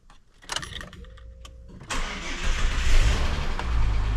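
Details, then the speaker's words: EF Ford Fairmont after replacing rattling centre-section mufflers: short crank, fires and settles to deep, even low rumble with no rasp or blowing; quiet, sound exhaust after repair. "Well, pretty pleased at the silence."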